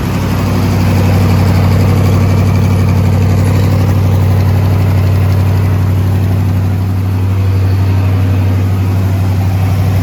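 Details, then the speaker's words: Twin-turbo SBC 350 V8 rat rod, freshly built, first start, oil pressure held: loud deep idle with steady knock about four per second under exhaust; internal, owner suspects a valve hitting or a welded header piece dropped in. "it just it sounded like something was bouncing off the back of something sounds like a valve hitting something or on knocker i don't know"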